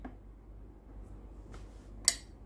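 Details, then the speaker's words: Philips GC9550 steam generator iron before repair, after cooling and re-powering: single sharp click as the water valve resets; the pump never follows because the boiler has no heat, later traced to a faulty thermal fuse. "ได้ยินเสียงวาล์วน้ำรีเซ็ตนะครับ"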